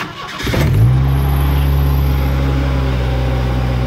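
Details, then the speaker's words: Ford Ranger bought as a $500 beater, cold start before warming up to check the thermostat: short crank, catches at once and settles into a smooth, steady idle with no engine clatter; normal cold start. "doesn't start up bad so anyway we're going to let it warm up and then uh take some coolant temp readings and see what we got but overall I don't hear any engine clatter so that's always a win"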